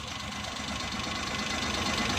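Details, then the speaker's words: 2017 Suzuki Bolan Euro van misfiring badly; with one spark plug lead pulled off at idle, engine turns uneven and lumpy with knocking stumble, proving that cylinder was firing; rough idle with one cylinder disabled. "जब आपने प्लग की तार उतारी है तो इसने नॉकिंग शुरू कर दी है।"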